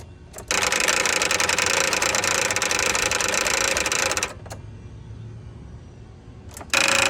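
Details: Toro TimeCutter mower cranking with a harsh buzzing rattle for about four seconds, then a second short burst, engine not catching; bad starter.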